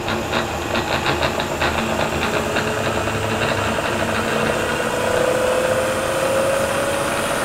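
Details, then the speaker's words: Bridgeport mill on first run after plugging in, head just turned right side up, spindle at 4200 RPM: fast steady whir with a light uneven rattle from one end of the head, strongest early on; rattle at high spindle speed. "sounds like rat down at that end um okay we plugged it in we answered our own question we're going to tear into it"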